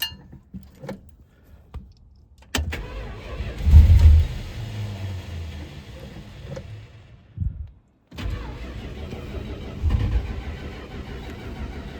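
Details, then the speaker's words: First start of an eBay Thermoquad carburetor that was cleaned, de-varnished and adjusted off the car, choke set and fast idle cam up: slow starter churning and a brief rough catch that dies while the empty float bowls fill, then it runs. "I'm gonna try to start it. No fuel in the float bowls."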